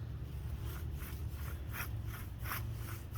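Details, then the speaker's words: 2007 Chevy Avalanche 4x4 wheel bearing and hub, removed and turned by hand: a dry, gritty grinding pulses with each turn from the sealed inner bearing, which is replaced as a complete hub. "hear it in there just grinding and you can't feel it but in my hand it's like so it's a sealed inside bearing"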